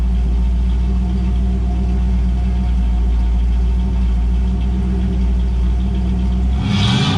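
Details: 1984 Camaro Z28 L69 HO V8, just after fitting a new exhaust with straight muffler, angle-cut tailpipes, ball flange and original hanger: deep, even rumble, no rattles, leaks or ticking; normal exhaust note.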